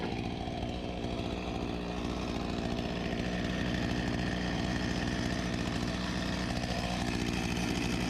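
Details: Husqvarna 254 G chainsaw (1989), after carb refurbishment and fuel line replacement: steady, even buzzing idle, a little fast, at clutch engagement point; runs well, idle to be turned down to about 3000 rpm.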